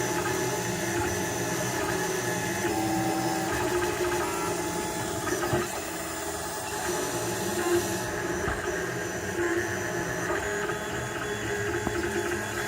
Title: Printrbot 3d printer clicking sound!